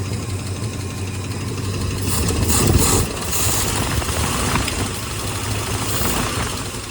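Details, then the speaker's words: 1971 Ford V8 first running in 27 years, on temporary gas tank, needing new spark plugs, carb vacuum line still open: low fairly steady idle with slight lope and brief rev, settling evenly; running better. "I need some spark plugs, but it's running. It's running better here. Got some antifreeze in it."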